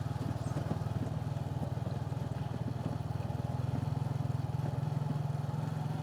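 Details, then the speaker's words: Motorcycle riding over rough pavement: steady engine drone with a fast, uneven rattle from the rear top box, which is loosely fitted with zip ties. "If you can hear that rattling sound coming from uh the bike, that's the back of the bike. I have a uh I have a top box fitted on the bike, but it's not well fitted. I used zip ties to fit it on the bike,"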